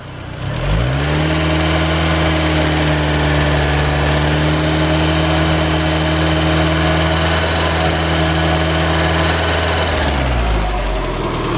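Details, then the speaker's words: Freshly rebuilt turbo Mazda Miata engine before break-in drive: catches, settles into smooth even idle with steady pitch, then shuts off; lifter noise gone, only a tiny typical Miata lifter tick left. "So next will be a test drive. All right, lifter noise is gone completely."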